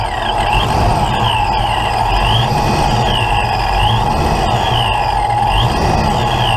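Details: Ford Mustang with a big cam, start while setting ignition timing: engine catches and settles into a steady, even run with no misses, knocks or stumbles; sounds healthy, owner calls it a little rough at idle.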